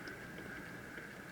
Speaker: i don't know if you could hear that clicking but this is a very noisy mechanism right now as it's currently fast forwarding the tape